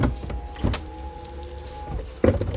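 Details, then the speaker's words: Mercedes 300SL R129 after roof control module repair; roll bar on separate controller circuit: steady electric motor hum with faint even whine for about two seconds, ending in a clunk as roll bar closes; roll bar works normally. "i'll just show you if you want roll bar also works if we're gonna start closing the roof roll bar"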